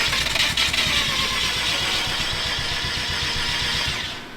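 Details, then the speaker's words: Car being troubleshot for no start; starter churns steadily at about four beats a second for several seconds but engine never fires; spark check shows no spark, possibly a wire, ground or ECU settings. "all right and see this is what we're talking about now we're not getting sparked so you have to figure out why it could be a wire it could be a ground it could be a few different things"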